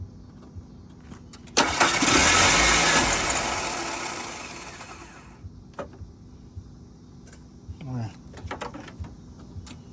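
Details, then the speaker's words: 1991 Mercury Topaz cranks with a harsh, uneven churn but won't catch or stay running. A fuel injection test gauge reads under 50 psi, pointing to a failed fuel pump. "Okay. Look, we got a bad fuel pump cuz normally you can do you do a um a key on test and it's supposed to be at a certain pressure when when you turn the key on, you get a certain amount of fuel"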